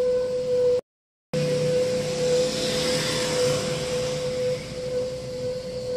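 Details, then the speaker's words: Car moving off after being parked three or more days: steady mid-pitched squeal throughout, attributed to dirty rear brake shoes. "tiba-tiba di saat kita jalan mobilnya itu bunyi seperti tadi ya itu bisa disebabkan dari kanvas rem belakang yang kotor"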